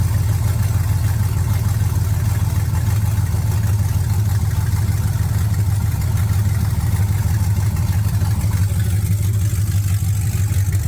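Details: 1979 Camaro with LS swap, idling with no codes after the transmission harness plug was properly seated: deep, even, steady low rumble with no knocks or misses over eleven seconds; engine runs healthy.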